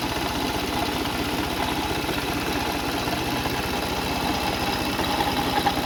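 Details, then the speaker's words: 2004 Toyota Sienna engine at idle, with the timing belt later snapping: a busy, uneven metallic rattle over a steady idle; cause being diagnosed among pulleys, serpentine belt and timing belt. "Today video we're going to have to diagnose and see what the noise coming from the engine."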